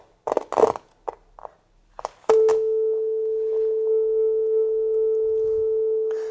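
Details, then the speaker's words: 30-year-old Soundtracs Jade 32 analog console, channel gain pot: clicks and scratchy bursts while the knob is worked, then a clean test tone, but the crackle returns. Oxide suspected on the pot track. "and it's the same thing there that it's start with only crackle and if we just work it and let enough signal pass it then it's like it's loosen and let everything at this point it feels okay after we have done this gymnastic ah there it is again"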